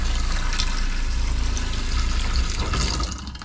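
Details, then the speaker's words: Caravan cold water plumbing leak test: steady low pump drone with water pouring evenly from the tap, no sputtering or air gulps; system normal, no leaks found. "Yeah, they're on because the water was going. Well, that seems okay. And the best part is we've got water."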